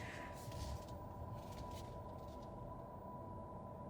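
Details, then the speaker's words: 2023 Honda CR-V Hybrid with a two-motor hybrid system and 2.0 L Atkinson engine, in reverse with the engine off on battery power: a faint, steady mid-pitch whine over low road rumble. Normal electric-drive reverse sound. "As we put it in reverse, you can hear it makes a noise, a little bit of a noise when the engine's not"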